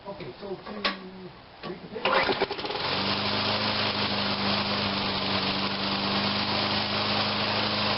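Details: Toro Personal Pace rear-drive walk-behind mower, in good shape, after rear drive repair with almost all the handle play taken out: after a few clicks it catches and settles into a steady, even buzz with no misses or knocks; it runs normally.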